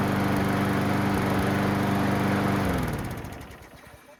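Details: Craftsman mower after new gas, oil, air filter and correct blade adapter retainer installed, which cured earlier racket: even steady drone with no blade rattle or clatter, then winds down and stops; running smooth.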